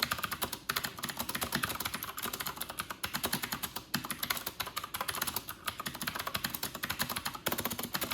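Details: New Corsair K70 RGB Pro with Cherry MX Blue switches, typing test at 94 wpm in a quiet bathroom, camera in front of the keyboard: fast, even clatter of crisp clicks, no rattles or dead keys; healthy clicky keyboard.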